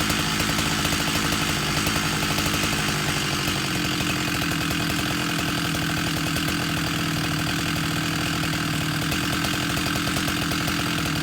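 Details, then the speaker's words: Husqvarna 371 chainsaw with an aftermarket Chinese cylinder, after fuel line and carburetor replacement, held wide open during high-screw tuning toward a 13,500 rpm target; it was too rich out of the box. Steady screaming two-stroke with no stumbling. "Okay, back after a test run, and my target goal for 371 is 13.5 to 14,000. 13.5 is for new, 14,000 is for broken in."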